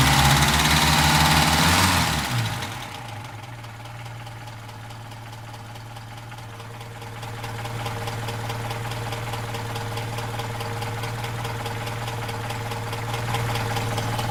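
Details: Opel Rekord P1 long-version engine at idle: crisp, even clacking about three per second over steady idle; cause unclear.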